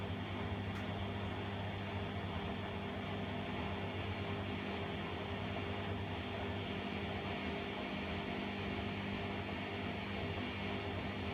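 A steady low electrical buzz holds unchanged with no drum or motor movement, so the washer hums but never starts.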